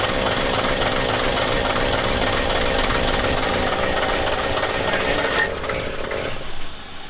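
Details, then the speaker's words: Diesel truck engine running rough and lumpy at about three beats a second, uneven and shaky, then dying; firing on only one or two cylinders, air being bled from injection lines. "in a diesel, it's not gonna run. It'll run, but it won't run very great, just like you just saw."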